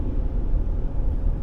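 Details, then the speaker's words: 2007 Ford Ranger 3.0L with A/C, driving after replacing the idler pulley to cure a belt squeak under throttle: steady low road rumble, no chirp or squeal; accessory belt drive now quiet and normal. "it sounds decent enough at regular Idol sounds dead silent from inside the car the real test is going to be moving it down the road a little bit"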